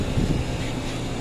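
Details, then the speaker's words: Coca-Cola display cooler running after the faulty defrost sensor/thermostat on the evaporator fan motor was replaced. PF1 error cleared and temperature displays. Steady low compressor and fan hum, even, no rattles or knocks; the earlier noise is gone. "Yan, wala nang maingay mga kabusing, wala na yung tunog. Yan mga kabusing, umaandar na."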